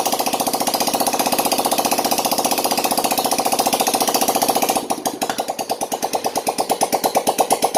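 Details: Yamaha Jupiter Z1 / Vega ZR after repair of scored bore, piston and worn valve stems, running with exhaust removed: loud, sharp rapid popping, firing evenly with a few throttle blips; runs healthy after the rebuild.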